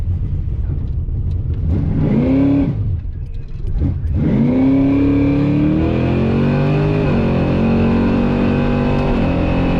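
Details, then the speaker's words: V8 drag car with a carburetor on gasoline after E85 and larger jets, during a drag pass: it pulls hard, then stumbles and drops out briefly. It is breaking up under load. The cause is unclear and fuel is being ruled out. "You can almost hear the engine breaking up again, but to me it sounded like a decent pass at the time."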